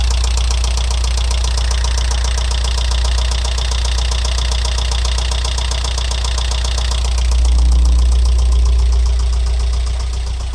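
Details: Alfa Romeo 166 2.0 TS idling after head gasket replacement: sharp, even ticking knock about four a second over steady idle, from right side near cylinders 3–4; bucket tappets ruled out, variator checked.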